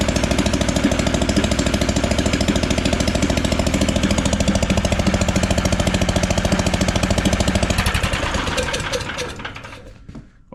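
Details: Engine swapped into a John Deere AMT600, open exhaust with no muffler, started after draining the carb bowl following flooding: rapid slightly uneven pops that slow and fade as it stumbles and dies; rough running.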